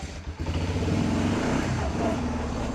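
Steady engine note with an even low throb and no knocks or misses; the quad runs smoothly.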